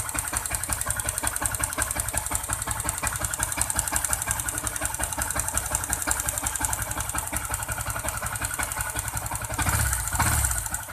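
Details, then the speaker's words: Yamaha Jupiter MX King 150cc, hard to kick-start, previously opened, idling: uneven rough idle with loose tapping about twice a second; decompressor found cut off. "Kita tes dulu ya kita hidupkan Apa yang membuat dia menjadi suaranya menjadi kasar"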